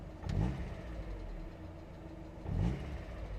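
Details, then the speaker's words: Mazda Miata idling with AC switched on after cleaning debris blocking the throttle body; low smooth idle sags briefly twice as the compressor cycles, dips slightly but recovers and holds without stalling; normal idle under AC load. "all right so now let's turn on the air conditioner because here the idle did change and it went down a little bit but it didn't go down to zero"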